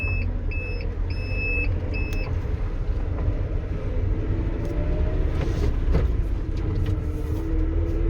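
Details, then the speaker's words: GAZelle Next with newly installed Evotech 2.7 engine, moving off; dull thumps through the body, also hitting hard on start-up and shutdown. Cause: left-side cab-to-frame mount with one bolt missing. "стук отдает очень сильно на кузов не знаю на камеру будет слышно нет когда глушишь один стук запускающие еще раз то есть при запуске и когда глушит двигатель очень сильно бьет в кузов"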